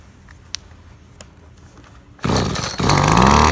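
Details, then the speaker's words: Husqvarna 225L straight-shaft commercial grass trimmer, two-stroke on mixed fuel. Quiet, then it catches into a crisp, even buzz that climbs smoothly as it's revved: normal running. "As you can hear, it runs pretty good."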